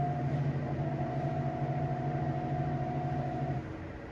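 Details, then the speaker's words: BLACK+DECKER BPW30MW portable washer, about two years old, after tightening loose drum bolts and the belt, at high spin near cycle end: smooth steady drone with no thumping or knocking, then winding down. Normal spin. "To my surprise, it is no longer making that noise and it is sounding like it was when I first got it."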